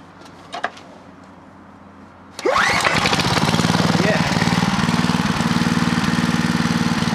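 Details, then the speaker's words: Clarke generator with Briggs and Stratton engine, low on fuel, pull-started after over-volt fix: catches, then steady even beat at constant governed speed with no hunting; runs normally. "that's about right that sounds pretty good so that works superbly"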